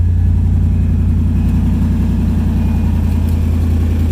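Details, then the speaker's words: 1951 International rat rod with Toyota engine and wiring, 4Runner cab, first start: deep, steady low rumble with an even firing beat and no knocks or misses; healthy smooth idle. "She's alive. Awesome."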